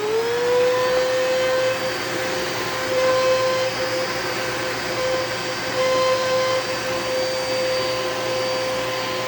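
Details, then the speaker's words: Heavy used Eureka vacuum with self-cleaning duster, possible wiring fault: the motor spins to a high whine but wavers and rasps unevenly and sounds unhealthy; cause not confirmed. "yeah, so you can tell the motor doesn't really sound too great."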